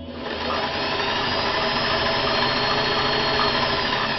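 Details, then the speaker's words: Restored vintage Singer 500A full-rotary sewing machine sewing a zigzag at fast speed on two layers of shirting: an even whir with a light, steady needle patter and no knocks. Healthy running. "Let me sew slow for you so you can hear. What a good range of speeds this machine has. Listen to it. Very quiet."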